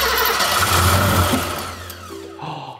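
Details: Barn-find BMW not started since 2001, needing priming, cranked with a little throttle: loud cranking with brief catches that fade instead of settling into idle; not yet keeping running, though it starts shortly after. Cause suspected, not confirmed.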